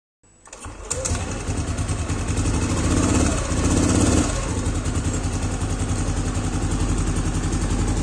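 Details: Yamaha Aerox scooter after replacing the worn CVT case bearing (loose boss caused clunking on initial throttle): engine starts, revs briefly, then runs evenly with no knocking from the CVT.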